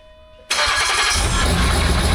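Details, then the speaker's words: 2008 Land Rover Discovery 3 TDV6 under rebuild, with a third, aftermarket trigger wheel fitted: it cranks briefly, then catches cleanly into a loud, even idle with no knocks or misses, and oil pressure comes up. "Give it a second if it if it quiets out. Okay, we got oil pressure."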